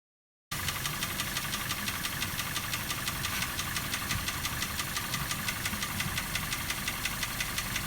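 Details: Daihatsu Terios 1.5 in for diagnosis, steady idle with sharp regular tapping about three beats a second from inside the engine; knock, valve clearance check planned first.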